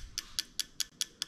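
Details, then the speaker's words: Toyota JZ engine with a modular VVT-i harness and ECUMaster Classic ECU in an IS200, engine off, injector output test on injector one: six crisp, evenly spaced clicks, about five per second; the injector is firing cleanly and working. "so we're going to start on the injector i'm going to hit test you can hear the injector clicking away"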